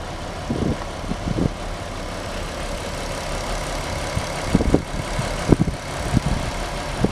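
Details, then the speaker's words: Audi TT Mk1 3.2 V6 at idle during a timing chain check: steady low idle with only light occasional ticks and no chain rattle or slap, described as really smooth; timing chains sound healthy. "लेकिन उम यह वास्तव में चिकना लगता है, हालांकि"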